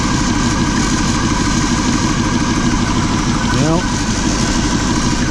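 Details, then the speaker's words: RV V8 petrol engine idling after new spark plugs and wires, fitted for a rough, seven-cylinder-like run. It idles more smoothly, but light clicking comes from the valve covers; the owner suspects a rocker issue, not confirmed. "a couple of starts idling a little more smoothly sounds like I got something wrong with rocker or yourself"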